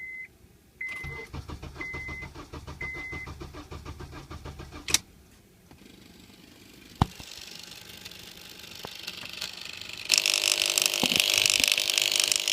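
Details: 2003 Honda Accord EX: chimes, then a steady starter churn of about three turns a second with no firing. The engine cranks but won't start; the owner suspects the ECM, main relay or ignition, unconfirmed.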